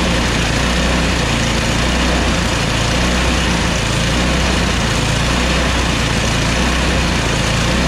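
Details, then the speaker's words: Yard Machines MTD 24" two-stage snow blower, 8 hp Tecumseh Snow King: after carburetor cleaning, the single-cylinder engine still surges with a slow, uneven rise and fall in speed and stalls at mid throttle. It was later fixed by replacing the carburetor and fuel line. "so we cleaned the car but it still kind of surges i think i might try to put a new carburetor in there"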